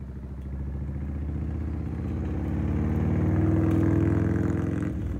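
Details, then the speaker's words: Harley motorcycle that sat for years, brought back to life: steady V-twin lope with loose metallic clatter over the low thump as revs build, plus electrical issues; engine rattle, cause not yet pinned down. "Well, it definitely sounds great. Sounds like there's a lot of rattling and some electrical issues we gotta fix."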